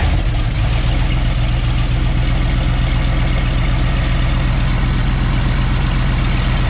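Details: 1990 Ford F250 junkyard build, 351 5.8 V8 with 3-inch exhaust and cat delete, started cold with a slight delay: deep, steady rumble settling into an even idle with no knocks or misses; normal idle.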